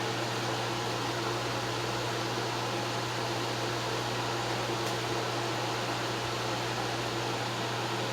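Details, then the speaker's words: Vintage Wizard hassock fan with motor transplanted from a Mainstays box fan, after tightening the blade set screw: steady even whir, low hum and airy rush, no rattle or scrape; normal running. "Looks like everything is working properly here. Alright. Great. I think that's going to turn out just fine."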